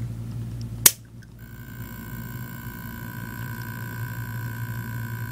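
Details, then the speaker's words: Seagate Barracuda 7200.10 750 GB hard drive on a USB-SATA adapter: click at power-on, then a steady thin buzz as the damaged spindle motor tries but fails to spin up; motor not locked up. "hear that that buzzing sound is actually the spindle motor trying to spin but it can't"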